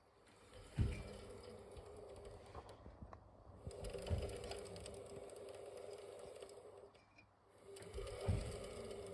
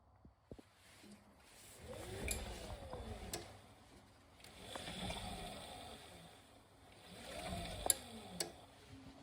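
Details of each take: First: Beko Aquatech WMY91466AQ washing machine inverter motor humming with fast light clicking from motor bearings; the wavy tension ring in the rear bearing housing was bent wider, which solved it. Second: Beko Aquatech WMY91466AQ washer inverter motor after fix (wavy bearing tension ring bent wider to stop motor bearing clicking): motor surges smoothly through three short spins with water sloshing, no clicking.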